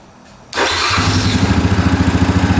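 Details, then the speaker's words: 2009 Yamaha Grizzly 550 EFI ATV, restart after running with engine light staying off, fuel pump audible: catches at once, settles into quick, even putter of about nine beats a second; normal start and idle. "Just make sure it fires right back up. You can hear the fuel pump going. One more time, and then we should be good."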